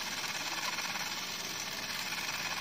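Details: Fujica Single-8 Z800 movie camera after replacing the broken variable shutter dial, fresh batteries reading in the green: an even, fine high-pitched motor buzz runs steadily for nearly three seconds and stops cleanly. Normal, healthy motor run.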